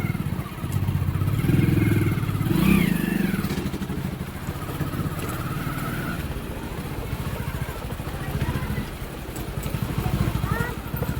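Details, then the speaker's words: Hero Passion Pro motorcycle after clutch plate replacement: even single-cylinder beat rising and settling with throttle, no grinding or rattle on clutch release, which earlier rattled after gear changes; clutch now healthy. "है बिलकुल smooth चल रहा है अभी कोई दिक्कत नहीं है बढ़िया चल रहा है ओके"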